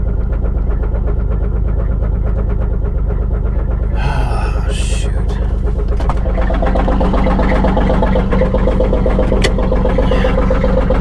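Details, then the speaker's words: 2004 Buick Park Avenue Ultra supercharged, weak battery, first start of a salvage car: steady deep knock about four per second under a rough idle, a bottom-end knock that sounds like a rod knock (suspected, not confirmed); mufflers cut off. "uh-oh that didn't sound good [Music] that sounds like a rod knock"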